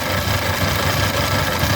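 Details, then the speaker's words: 1979 MG Midget 1500 at idle after head gasket replacement: even, steady idle with smooth low rumble and no knocks, misses or ticks; sounds better than before, though water may be leaking. "Oh, she sounds better than what she used to."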